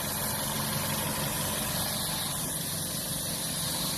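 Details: 2013 Chevrolet Malibu 2.4 during a check for misfire code P0300, with misfire counts viewed on a scan tool: a steady, even idle over a low hum with no stumble or miss.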